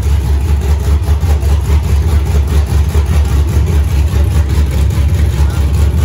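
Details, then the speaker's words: Freshly built 5.3 LS V8 first start with open headers and aftermarket 90 mm throttle body: loud lumpy even idle, no misses; normal idle. "so it is idling real nice right now it starts real nice it's snappy it revs up good there's a small little stumble on its way back down which i'm sure is going to be tunable with the idle air control valve setting"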